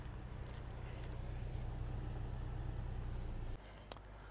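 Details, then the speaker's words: 2006 Volkswagen Golf Plus 1.6 MPI petrol, 176,000 km, fully serviced, equal compression in all cylinders, climate on adding load: soft, steady low idle rumble, even beat, no stumble, knock, smoke or misfire; idling healthy. "рівно не димить не троїть кліма справна заправена обслужена"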